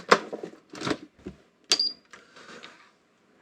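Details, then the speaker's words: National/Panasonic NV-730 VHS VCR being powered up for investigation. It gives a short high beep plus mechanical clicks and whirs as the deck initialises, and the clock flashes: a normal power-up. "okay made a beep hear the beep and made some mechanical noises the clock is flashing Powers up"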